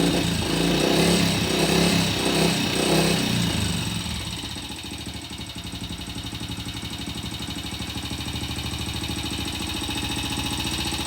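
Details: Vintage BSA C15 single-cylinder motorcycle after repair, fresh transmission oil, distributor cap refitted: a few seconds of louder running, then an even idle at about four beats a second, no misfires.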